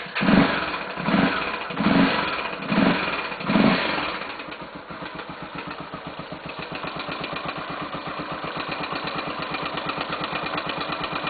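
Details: 2005 Honda Tornado 250, about 60,000 km: after throttle blips, fast light even tick over the idle beat, only when cold and at low rpm, varying with throttle, stopping when warm; owner suspects tappets/valves. Cause unconfirmed.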